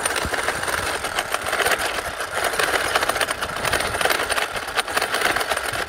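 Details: 6S Traxxas X-Maxx running an 8S motor and ESC on 8S while bashing jumps with nose landings: harsh, gritty grinding with rapid clatter while driving from damaged diff crown and pinion gears.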